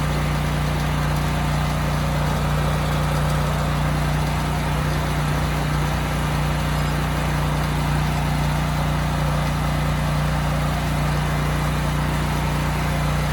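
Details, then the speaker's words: Used generator HU40500G after new generator head (stator and rotor) installed, under 3,000 W load: steady, even hum, no hunting, knocks or surges; engine and power output good. "okay good the engine sounds good and the power output is also good it was running a bit slow so I did turn up the governor screw just a little bit"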